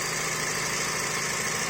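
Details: Chevrolet Sonic with a leaking PCV valve, idle rising and falling and engine stalling by itself: uneven, hissy idle with a wavering note and no steady beat; rough idle from PCV valve leak.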